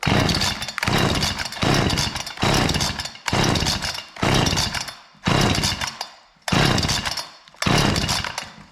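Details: Husqvarna 455 Rancher chainsaw after carburetor and fuel line repair, cleaned air filter and new NGK BPMR7A plug, screams up to full revs and drops back about every second, clean with no bogging; formerly idled and died on throttle, now runs healthy.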